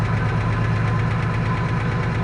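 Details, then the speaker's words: 1955 Oldsmobile Super 88, 324 4-barrel Rocket V8 with Hydramatic automatic, being revived; starts without pumping the gas and settles to a steady, even idle with a smooth low burble and no misses. "That was way, way better than it was. I didn't even pump the gas. That's crazy. So, it is running."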